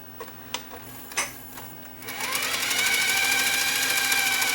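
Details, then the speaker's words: Sony EVS7000 Hi8 VCR under repair for noisy audio, in rewind: quiet clicks, then a loud whirring with a high climbing tone, sluggish and labouring. The fault is not yet diagnosed. "whoa that's really loud for a rewind something's not right with the smackdown rewind kind of sounds a bit sluggish on this thing"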